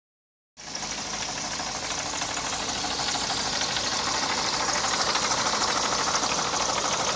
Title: Стук двигателя. Мотор m102 от w124 E230 1990 года